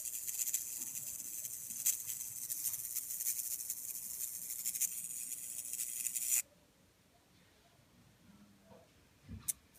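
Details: Samsung UN46F5500AFXZA TV: thin, high-pitched scratchy hiss with crackly ticks that stops abruptly when switched off; owner unsure if transformer, no loose solder joints seen; cause unconfirmed.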